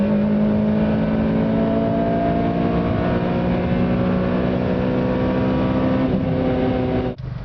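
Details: 2007 Honda Civic Si, stock ECU tune, Password JDM carbon fiber powerchamber intake, fully warmed up, hard acceleration: rising induction roar, sharper note at top with aggressive VTEC crossover, then gear change; healthy pull.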